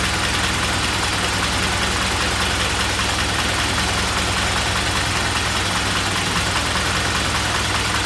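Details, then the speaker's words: Engine started cold on about 65°F day after oil and filter change: loud, uneven idle with a lumpy beat two or three per second and ragged knocking edge, yellow flame, dies when throttle is mashed; owner suspects fuel pump/fuel delivery, low compression also being investigated. "still running kind of rough all that yellow fire definitely you know I believe that's probably still because of the pump and the fuel delivery I think the pump just needs to be fixed"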